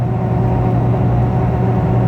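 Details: 2004 Nissan Xterra at highway speed: constant low fluttering 'fart'-like drone from air leaking through a separated gasket between the roof-mounted deflector shield and the roof.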